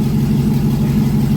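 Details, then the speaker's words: 2001 GMC Sierra 1500 HD V8 at idle after a fuse problem was fixed, before the injectors are pulled and cleaned again: uneven, lumpy pulse with occasional stumbles; owner says it still has a misfire, cause not confirmed. "Yeah, I still got a misfire in it."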